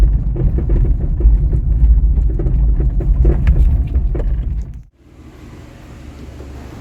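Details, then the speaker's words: VW Up! front suspension while driving, new shock absorber fitted: irregular hollow knocks over heavy road rumble, loud as if the wheel were falling off, caused by a worn, loose sway bar link; replaced with new links. "aí está a causadora do problema a famosa bieleta como dá para ver ela já estava sem ação nenhuma o que causava folga que ocasionava o barulho"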